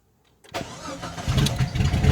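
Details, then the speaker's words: 2000 Jeep Grand Cherokee Laredo after replacing the ignition switch's electrical part to cure a crank no-start: silence, then a brief crank, and it catches at once into a steady low idle. Normal start. "stay on anymore and it starts right up"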